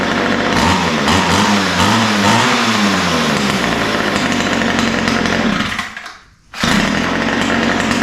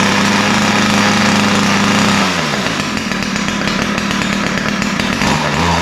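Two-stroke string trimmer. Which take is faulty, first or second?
second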